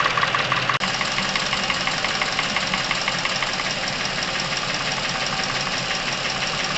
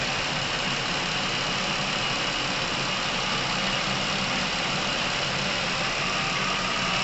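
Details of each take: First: Chevrolet Epica, over 200,000 km, noise from top of engine appeared suddenly days ago: fast light ticking about twice a second over steady idle; hydraulic lifter tapping. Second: Chevrolet Epica, over 200,000 km, with a sudden top-end noise, after Dimexide engine flush was added to the oil: steady, even idle with a soft hiss and no tapping or knocking. Oil circulating properly; the engine is quieter.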